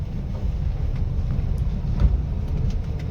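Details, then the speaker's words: Honda Brio test drive after suspension repair (it had been knocking over speed breakers): shock absorbers, their mountings and kit replaced; steady low road rumble with no clunks or knocks, suspension now quiet. "Honda Brio जो हमने आपको बताया कि suspension में इसमें problem थी। आवाज आती थी। तो हमने अभी टेस्ट ड्राइव भी ले लिया है। गाड़ी ओके हो चुकी है।"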